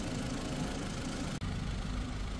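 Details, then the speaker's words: Ford Figo petrol/CNG after misfire and vibration repair: steady, even, quiet idle with a smooth low hum and no ticking, knocking or stumble; engine now running smoothly. "अच्छी हो गई गाड़ी आवाज भी सुन लीजिए आवाज भी साइलेंट"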